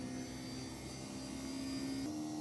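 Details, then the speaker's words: 20 hp VRV AC, first ever compressor start during refrigerant testing in cooling mode (TO2 function, about 100 PSI low, 225 high): a steady hum whose tone steps up in pitch as the compressor ramps. Healthy start-up. "Compressor started up. This is the virgin start of the VRV."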